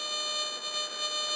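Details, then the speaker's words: Whites Surfmaster Dual Field pulse induction metal detector: a steady high buzzing tone with a warbling threshold instead of quiet. Electromagnetic interference, e.g. from power lines or other detectors; a switch backs it off. "a little EMI here so if you're outside and you're vmi from power lines or whatnot or there was you know other detectors or felt in the ground this is the switch that you're trying to back it off a little bit"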